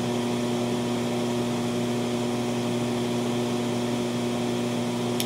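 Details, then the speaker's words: TLP Audio phono stage residual noise before an SP capacitor pack is added, with the supply lacking enough capacitor filtering: constant low hum with a higher buzz over soft hiss and no signal playing; power-supply ripple hum. "and here the noise right now the residual noise of the phono stage i will give you another 10 seconds to hear the residual noise of the funnel stage"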